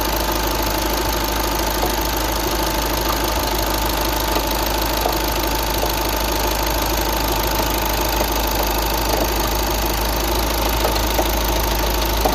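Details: 2009 VW Tiguan 5N at idle: uneven knock of about three beats a second tapping over the steady engine drone; knocking engine noise of unknown cause.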